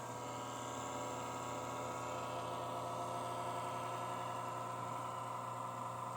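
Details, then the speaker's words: Casper Excalibur laptop, no load: steady high whir with rough buzzy grinding edge; ill-fitting non-original cooling fan previously sprayed with WD-40-type lubricant is wearing, risks chipset failure long-term, needs replacing. "tabii ki bu ses kullanıcısını rahatsız etmekte ve cihazın İlerleyen zamanda uzun vadede bilhassa çipset arızasına düşmesine de sebebiyet vermekte"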